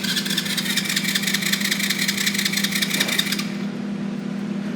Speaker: switch on and then turn that off here we go so quiet you can barely hear it but it's act it's not a great feat but it has reversed look at that